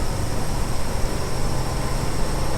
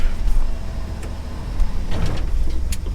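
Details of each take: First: 1974 Ford F100 V8 with automatic, driving at about 40–45 mph: loud, constant, over-busy drone from screaming revs. Cause was the transfer case left in four-low. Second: 1974 Ford F100 restored from abandonment, driving after finding it was stuck in four-low and shifting to four-high: a deep, steady V8 drone with no knocks or grinding, running much better.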